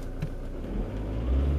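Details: Car after installing new fuel injectors and programming them with an Autel DS708 Pro, previously running very poorly and cutting out uphill on cruise control: even, smooth engine note rising cleanly with revs, no misfire or ticking; running normally.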